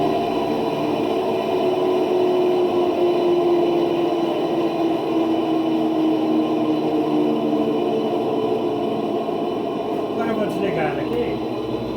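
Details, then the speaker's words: Electrolux LT12 washing machine during spin: loud steady whirring drone with slowly sliding tone from a worn drive motor bearing, not the machine's mechanics; motor replaced with a used one. "nós que somos técnicos nós entende que esse barulho aqui não é a mecânica da máquina esse barulho é o rolamento do motor dela que desgastou e tá barulhento aqui nesse caso aqui precisa trocar o motor"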